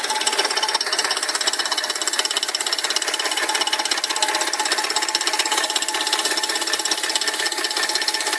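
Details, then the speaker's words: Fast light ticking, about three per second, at warm idle from the top of the left valve cover; it disappears when accelerating and returns off throttle. Valvetrain-area tick, cause unconfirmed. "Este es el sonido y viene de aquí arriba de la tapa de la tapa válvula del lado izquierdo"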